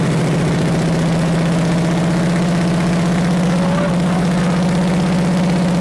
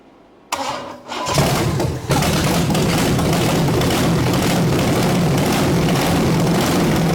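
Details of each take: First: Big block Chevy 454 V8 that sat 20 years, first run for a 1969 Chevelle: deep even rumble, steady firing beat, good oil pressure, no rod knock or ticking; runs until fuel runs out. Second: 1974 Chevy big block 454 V8 that sat 20 years under a bench: short labored cranking, then it catches and runs lumpy; the distributor had jumped and the timing was way advanced, so it had to be turned back to fire. Hard starting.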